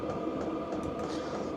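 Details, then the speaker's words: Hcalory diesel parking heater switched off, running its roughly 3-minute cool-down cycle drawing cold air through to cool the unit before shutdown: steady whirring fan, even mid-pitched hum, no knocks or rattles; normal cool-down. "it says off and it will now go through its cool down cycle. And that will take about 3 minutes. It will suck cold air into the machine and cool the machine down properly before it turns off."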